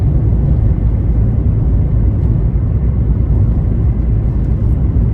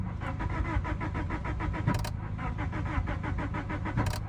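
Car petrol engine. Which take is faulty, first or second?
second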